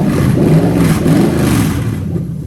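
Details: Lexus GS430 3UZ-FE VVT-i V8 on an adapted plug-and-play manual-gearbox harness for an IS200, during the drive-by-wire test after first start: a smooth V8 that rises and falls cleanly with the pedal, no misses or clatter. Normal throttle response.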